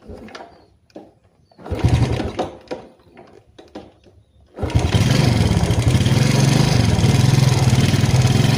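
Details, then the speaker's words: Yamaha Jupiter Z Robot motorcycle idling with a fast, light "tek tek" tapping over the exhaust; worn camshaft suspected, with valve clearance and cam chain tension also to be checked. "Ya, kira-kira bunyinya seperti itu ya, Teman-teman ya. bunyinya tek tek"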